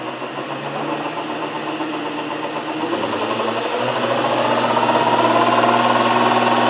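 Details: Land Rover LT230 transfer box, spun up: rising gear whine climbing with speed; suspected bad gear tooth or bearing, centre diff ruled out.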